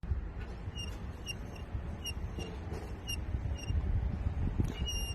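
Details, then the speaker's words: Electric scooter front wheel spun by hand with brake caliper fitted: sharp high squeak about twice a second, gone once caliper removed, so brake pads rubbing the disc cause the noise. "那说明了啊，它这个声是在摩擦过程中刹车片啊和刹车盘中间产生的这个声音，对不对？"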